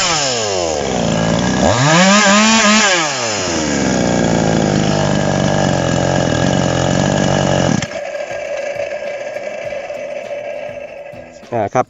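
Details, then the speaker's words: TOMITSU 5800-body chainsaw, free-revving without load after the carb was set over-lean; a thin, screaming high-pitched rev that drops off; the setting must be backed off before fitting a bar to cut wood. "ถ้าไปใส่บารผ่าผ่าไม้ตัดไม้ครับต้องปรับปรับถอยอีกนะครับเนาะอันนี้ผมปรับบีบเกินนะครับ"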